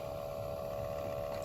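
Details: 2013 Toyota Prius C cabin blower motor before replacement, with nothing found stuck inside: a constant mid-pitched whine over a low hum, with no rhythm. The blower motor itself is noisy and needs replacing.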